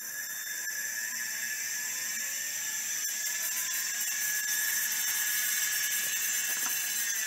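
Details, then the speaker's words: Opened Miniscribe hard drive, after adjusting track zero and pulling the heads to the inside track; still stiff. A high spinning whine with scratchy chatter and seek clicks, from a massive head crash; the drive spins and seeks but probably won't fully initialize. "anyways you can see the drive is spinning and seeking now it's probably not going to initialize all the way because this is still rather stiff and because obviously massive head crash but that won't stop it from starting necessarily"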